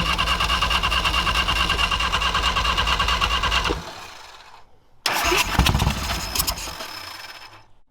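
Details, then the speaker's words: Old Harley-Davidson V-twin, 9.8:1 compression: slow, labored cranking around three beats a second, brief catch then dying twice, flooding when given gas; starter spin suspected too slow. "come on yeah yeah as soon as we give it gas it floods it and it stuck it was smoking where like on the back of that red one foreign all right so I had a feeling it just wasn't turning fast enough with the 9.8 to 1 compression engine it just needs to spin the fire"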